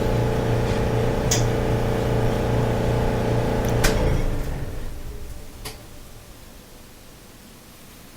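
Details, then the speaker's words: Electrolux dryer running: steady low hum with rhythmic rumble that stops when the tumbler stops; lint and a sock lodged in the blower wheel, roller first suspected. "if you still hear the rumbling noise then it's the blower wheel but when this tumbler stops the noise stops"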